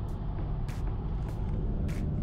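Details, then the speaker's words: 2002 Toyota Hilux Surf 1KD-FTV diesel on the road while braking, a faint pulse about every 0.6 s, vibration felt through the wheel; rotors reground but pads not replaced, cause suspected; pads then replaced. "now I know they reground my rotors but you hear that vibration and you you can feel it through the wheel I think they forgot to replace my brake pads"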